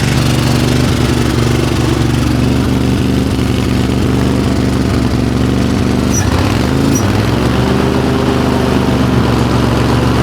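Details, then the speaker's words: Craftsman GT riding tractor with 20 hp Kohler twin, which has no power and stalls under load: it runs with an uneven thump and irregular stumble, missing on a cylinder; owner suspects a spark problem, possibly compression or a loose valve. "It sounds like you definitely have a spark problem. May have a compression problem. You can hear a little bit of noise. It sounds like you got a loose valve possibly."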